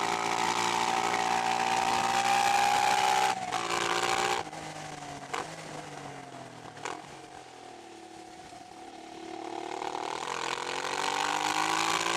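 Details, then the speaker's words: 1988 Honda NT400 Bros 400cc V-twin on road, exhaust baffle hammered out: loud, raspy bark rising and falling with throttle over wind noise; loud open exhaust with baffle removed. "I hammered the baffle out of the back of the exhaust. I hammered the rivets out and then just yanked on it for about 10 minutes and it popped out. Now it sounds sweet."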